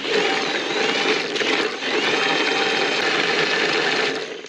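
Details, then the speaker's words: Willys CJ-2A T-90 gearbox rebuilt with cheap parts, in third gear, spun on the bench by a drill at the input shaft with the cover off: steady, even gear whir under drill whine, no knocks or grinding; runs normally, louder only because the cover is open. "Now you hear it being a little noisy. I think that's just because this cover's wide open, you hear everything."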